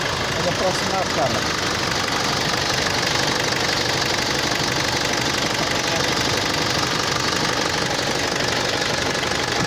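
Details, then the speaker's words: Mitsubishi L200 Triton diesel idling with a hard sharp knock about three times a second, sounding like an injector fault; idle rail pressure far too high, about 1,200 bar (116–117 MPa) vs 250–400 normal; injection module problem. "ele tá com castanhado muito forte no motor dando a impressão que pode ser bico injetor a e tá trabalhando com uma pressão de combustível na marcha lenta muito alta"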